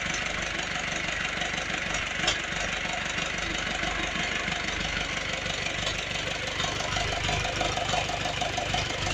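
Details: Ursus C360 tractor diesel after partial rebuild with repair kits and all bearings replaced, not yet run in; steady even idle clatter, no knock or misfire; oil pressure holds 3 bar at warm idle.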